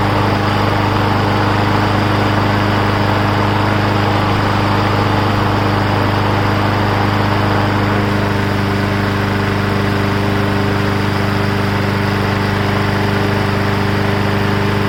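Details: Briggs & Stratton Brute 6.75 engine on a 22-inch self-propelled bagging mower being revived: small single running steady and even at fast constant speed with no misses or knocks.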